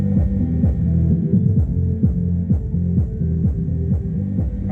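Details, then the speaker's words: Reconditioned loudspeaker playing music with its over-long lead wire held down away from the cone: deep bass notes come through clean and round with no rattle or buzz. Normal playback; the fix is to shorten the lead wire. "Agora eu vou segurar a cordoalha embaixo, ó. Aí, ó. Resolveu o problema."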